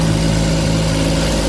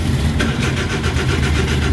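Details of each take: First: Suzuki DA64/DA63/DA17 with the temperature warning now gone and an overdrive fault still pending: the engine catches and settles into a steady, even idle with a smooth low hum and no knocks, misses or ticks. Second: Suzuki DA64/DA63/DA17 cranks but won't start, with no ECM reading, no transmission indicator lights and code P0707 (shift switch malfunction): the starter spins evenly for about three seconds without firing; the cause was a blown fuse.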